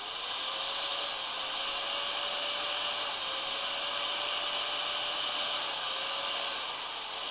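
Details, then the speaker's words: Bosch GBM320 (GBM 320) corded electric drill, old and heavily used, after repair with new carbon brushes fitted, as the worn-out old brushes had been the fault; burning smell gone, slight sparking normal until brushes bed in; steady, even high-pitched whir, normal motor run. "ฮะปกติแล้วนะครับตอนนี้ไม่มีกลิ่นแล้วนะครับจะเห็นไฟแลบอยู่นิดๆนะครับอันนี้เป็นปกตินะครับ"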